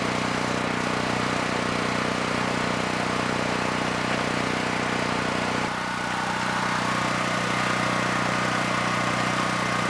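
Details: Generac GP6500E generator after repair of seized engine, warmed up, load applied up to 6,000 W near max: steady drone with slight dip and recovery as load comes on, then smooth; held 121 V, frequency from 61 to just below 59 Hz.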